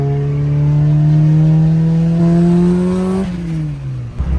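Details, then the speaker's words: Turbocharged car with a brand-new turbo, first drive since October; boost controller already turned down. Engine pulls hard with rising note, then power chops and revs fall: overboost fuel cut. "First time out and it's already hit boost cut, boys."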